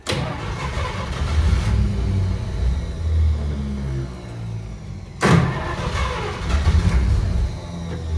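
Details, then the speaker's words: 1953 Pontiac Chieftain in freezing cold: starter cranks, engine catches and rumbles unevenly, fades out, then catches again on a second crank. Hard cold start and stalling that the owner blames on the cold. "she's right there she's running and then she dies and it's probably not helping that it's freezing freaking cold out"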